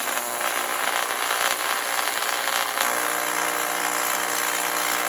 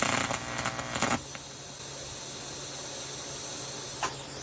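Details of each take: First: 1993 TIG/stick welder after a new HV impulse arc-starting transformer; a bright, steady hiss and settled hum with no sputter or dropout, a stable arc melting aluminum. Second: 1993 TIG/stick welder after fitting a new HV impulse arc-starting transformer, before polarity was corrected; about a second of ragged, sputtering arc crackle that cuts out to machine hum, with an unstable, hard-to-start arc.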